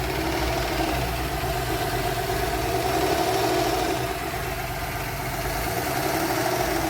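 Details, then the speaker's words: 2013 Porsche Cayenne VR6 idling: unstable rpm rising to about 1,500 and dropping back, vibration, and a whistle; no diagnostic codes, rough shifting blamed on the unstable rpm; a blocked PCV valve is the cause. "دابا راه كاين واحد الفيبراسيون، ما يبقاو معايا. الار بي ام كيلعب بزاف، ها نتوما كيطلع حتى لواحد ونص وكيعاود يرجع. شوفوا المحرك ديالها، سمعوا المحرك كيفاش كيدير الفيبراسيون وماشي ثابت."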